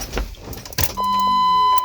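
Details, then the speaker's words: 2003 Coachmen RV on 2002 Chevy Express chassis that wouldn't start, fuel pump problem: key on gives a click then a brief steady high hum cutting off cleanly; fuel pump priming as it should. "oh yeah I hear it I hear it perfect so I did hear it Prime the fuel"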